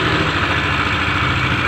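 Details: Yamaha NMAX with a rough engine sound: gritty, jingling metallic rattle over a steady idle, like friction. It was checked whether it comes from the CVT area or inside the engine; the finding is worn CVT parts.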